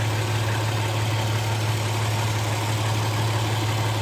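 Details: 2007 Toyota Tacoma 4.0 1GR-FE, 240,000 miles, idling, heard at the passenger-side catalytic converter: steady, low, even hum with no knocking or ticking, unlike the driver side where the owner suspects piston slap.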